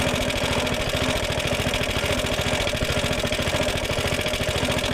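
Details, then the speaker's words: Suffolk Punch petrol mower, single-cylinder, started with a flooded carburettor after fixing a locked-up drive: chugging at an even, steady idle with a fairly regular beat, no knocks or misfires; normal running. "We'll fire it up. I just want to try and make sure it all runs as it should do."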